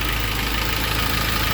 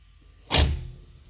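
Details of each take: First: K24-swapped Honda CRX at a steady, even idle of about 800 rpm, smooth with no hunting or stumbling. This is after the throttle body fix, where the butterfly's contact points were marked and the idle adjustment screw was set. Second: K24-swapped Honda CRX, engine off: one short dull clunk on snap throttle as the throttle cable pulls the sticking throttle-body butterfly plate free after a throttle body fix; car drives fine, aiming for improved idle.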